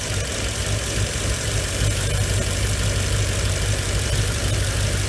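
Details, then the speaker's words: Mercedes W463 G500 with a lumpy rough idle, uneven pulse about three times a second, no check-engine light, P0444 purge valve code. Owner suspects a faulty electronic throttle body or a bad signal to it. "okay so either it is the throttle body the electronic throttle body is bad or something is sending it the signal to vibrate"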